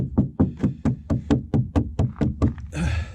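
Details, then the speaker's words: Repainted VW body panel tapped by hand: about a dozen dull, dead thuds at roughly two per second, no ring, unlike tinging metal above; cracked, bubbling paint over body filler (Bondo). "This is Bondo that's been cracked and it's starting, the paint was bubbling, and so this filler under there, you can hear it. Hear that up there? It kind of tings. Down here it thuds. That's Bondo."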